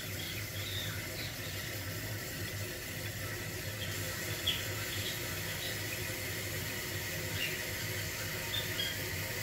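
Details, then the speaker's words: Toilet tank after replacing the fill valve that squeaked on every flush: soft steady rush of water refilling, no whistle, hum or squeak; noise gone. "So the noise is gone, so that's good."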